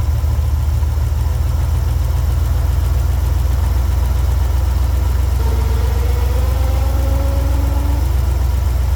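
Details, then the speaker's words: Jeep CJ7 with a low, lumpy idle and uneven beat, one cylinder not firing; pulling that cylinder's spark plug wire brings no change, so the misfire is on that cylinder; plug to be pulled, cleaned and gapped. "It seems to be coming from one of the spark plugs. Alright, so I know that the misfire is coming from this cylinder right here."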